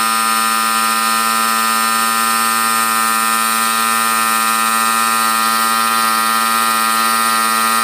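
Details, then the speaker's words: Air compressor, about 25 L tank, after replacing reed valves and one-way valve (previously wouldn't build pressure): steady loud motor hum, constant pitch, no knock, hiss or labouring while refilling; normal running after repair. "So ngayon okay na siya kita niyo Nag stable na yung pressure niya gamitin ko yung hangin pagbaba niyan"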